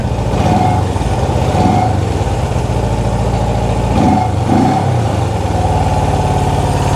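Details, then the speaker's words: Honda CB360 twin, ignition out of time, idle raised slightly: lumpy, uneven idle limping with missing beats; running on only one cylinder, before setting timing with a timing light. "see it's only running on one cylinder now that's two now it's back to number one all right definitely only running on one cylinder"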